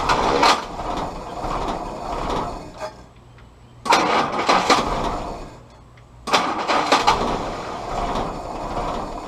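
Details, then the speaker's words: Willys CJ2a Jeep L134 Go Devil four-cylinder with original carburetor refitted: three cranking bursts with ragged uneven catches and quiet gaps, won't settle; timing suspected, distributor rotated slightly for more consistent firing. "so we're gonna try to maybe rotate the distributor just a little bit more and see if we can get with the fire a little more consistent change the timing just a little bit"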